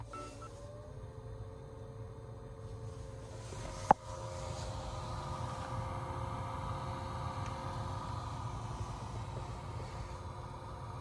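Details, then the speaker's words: Honda Freed Spike Hybrid in for inspection; with the AC fan on, a click then a steady droning buzz from the failing blower fan motor, which was replaced with a new one. "エアコンファン回すとブーって音がもう出ちゃって、だいぶ気になる感じだったので、見積もり提示して、じゃあやりますっていうことで交換いたします。"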